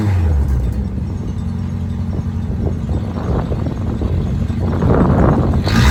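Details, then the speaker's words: Toyota Celica GTS (1983, 3rd gen) with the exhaust fallen off: deep, loud, raw truck-like rumble at idle and light revs, car not yet warmed up; loud exhaust caused by the missing exhaust system. "I gotta warn you right now to have to exhaust fell off when I first got a vehicle so it sounds like a truck"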